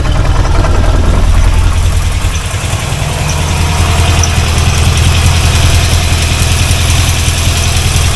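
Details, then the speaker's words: C4 Corvette 350 after rebuild: a steady, even low V8 idle with a smooth lope and no rod knock or tapping. Pressure reads 45 lbs, it is running very rich, and it is not charging. "No knocking. 45 lbs of pressure. And it's just running really rich."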